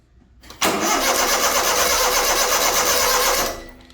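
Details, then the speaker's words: Honda Acty after valve cover gasket and distributor O-ring replacement, spark confirmed with a test light: steady cranking at about three beats a second for three seconds, never catching; distributor suspected 180 degrees out, to be flipped. "So that means most likely what I think is happening is the distributor is probably 180 out. So what we're gonna do is try to flip it around and see if it starts up"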